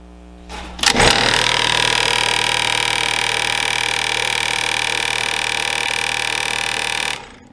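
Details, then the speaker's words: HVAC blower motor with six nuts added to the blade: loud steady high whir with fast rhythmic wobble about four times a second, severe out-of-balance vibration from debris on the wheel. "So as you can see, this is getting pretty intense. By now, if you had some form of debris in your blower motor causing this kind of vibration, you're probably starting to think, I should probably have a mechanic check this out."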